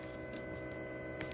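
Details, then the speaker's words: BMW E46 330d diesel, ignition switched on: steady constant-pitch electric hum from the lift (pre-supply) pump under the seat beneath the body; normal priming, and without this sound the car won't start. "vous mettez votre contact et vous devez entendre la prépompe de préalimentation qui est en dessous de votre siège sous la caisse"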